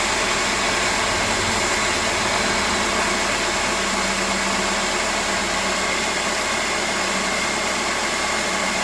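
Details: Mercedes SLK R170 230 M111 engine after the camshaft magnet oil leak repair, with a new temperature probe and gasket maker left to cure overnight. Steady, even idle with a smooth hum and no knocks, misses or hunting. Normal idle.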